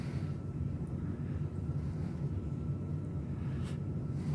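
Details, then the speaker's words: 38-inch FASCO Parlor ceiling fan on a test rig, already running on its variable-speed control, with the light stuck on. A smooth, steady low hum with even air noise and no ticking, scraping or wobble; a big air mover running normally. "all right this thing's a huge air mover i could feel a lot of air from it"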